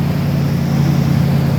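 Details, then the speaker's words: 2012 Dodge Ram V8, cold first start in a cold garage after new Diablo tune and full cam/lifter rebuild at 208,935 miles: smooth, even low idle rumble, no misses, ticks, knocks or shake; healthy. "Listen to that bad boy. No shake."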